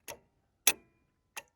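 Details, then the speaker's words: Idle air control valve from a 1994 Ford Ranger, powered directly from battery leads off the truck: three sharp clicks about 0.6 s apart as the plunger snaps open and shut. The old valve was stuck open, causing high idle. "that plunger in there and you can see it and hear it moving and you can see the little valve opening closing there so that is how the idle air control valve works"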